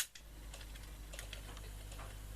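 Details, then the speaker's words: Ferguson/Thorn FTD3/FTD4-type reel-to-reel tape deck (around 1962 onward), running fast forward after mechanical reassembly and repair of several faults: low steady motor hum with light ticking, no grinding or stalling. The deck is now okay. "and that is fast forward so the deck is now okay"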